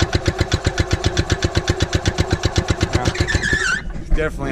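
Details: Gas-powered Columbia ParCar golf cart that sat for years, on a new temporary fuel pickup tube; uneven popping at about four beats a second that stumbles and dies out; rough running.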